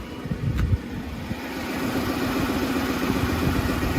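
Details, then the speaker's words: Freshly rebuilt Lincoln Navigator V8, warm, idling way too high with a slightly uneven, shuddering beat; aftermarket tune suspected of altering the engine computer, possibly a cam-phasing issue. "it does not sound good at all not for just being rebuilt so it sounds like there's some kind of phase or not going on and then of course the rpm way high"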